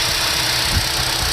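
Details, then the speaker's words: 2012 Chevy Cruze 1.4 L at idle: steady airy hiss over a low rumble, heard with a thumb over the PCV valve built into the valve cover; failed PCV valve causing a vacuum leak, with hesitation and skip on acceleration. "put the thumb in front of it can you hear that hissing that should not be occurring"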